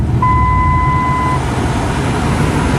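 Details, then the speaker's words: 2005 Dodge Ram 2500 after a single- to dual-zone HVAC conversion: a thin, steady high-pitched whistle over the idle, louder with the engine running. It occurs when stopped, on vent/upper settings, windows up, fresh-air mode; source unknown. "But it seems that whenever this is set to any setting that has that uses the vents or anything up above, I get that whistling noise when I'm not driving, like when I'm stopped"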